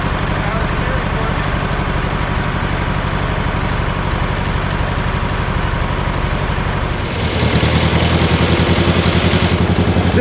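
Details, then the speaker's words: 1968 John Deere 500A diesel tractor (industrial 3020), parked over 10 years: lumpy idle near four pulses a second, revs surging and sagging, no power, dies on its own; diesel dripping from injectors, owner suspects brittle rubber boots. "acting like it doesn't have any power just dyed on its own"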